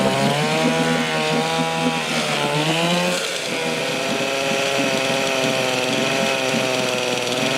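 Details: 1972 Johnson Seahorse 6HP outboard (6R-72D), first start in 20 years after fresh plugs and fresh gas; buzzy, raspy two-stroke drone at steady pitch, running on its own and healthy.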